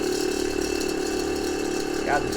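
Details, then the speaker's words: Twin Hornblasters Goliath bracket air compressors from a 2019 Ram 3500, restored with new fittings, airline and electric valve, bench-powered at about 10 amps: steady even hum with light rattle, while one fitting audibly leaks; compressors working normally. "you'll hear them slow down a bit because it's just uh like 10 amps but uh as it starts to build pressure in the tank you'll kind of hear them slow down a bit"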